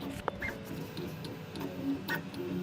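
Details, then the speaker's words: Newly built Voron Trident CNC AWD 3D printer (Siboor kit) printing with its filters off, then with the door closed, and its motors running very hot; occasional sharp clicks sound over the fan and motor hum, and pulleys are suspected but unconfirmed. "you hear the clicking? Yeah. And then with the door closed. Are those the pulleys clicking? Are you sure that's the pulleys? I don't know, it's clicking."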